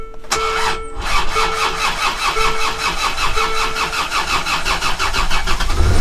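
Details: Land Rover Discovery Td5 diesel after steering box and drag link replacement: turns over briefly, catches at once and settles into a steady, even idle with no knocks or misses; normal start.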